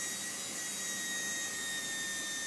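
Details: iM3 unit handpiece running at the gauge-set optimum air pressure (low speed about 40, high speed about 30–40): steady high thin hiss with fixed whistle tones, no sag or flutter, spinning evenly.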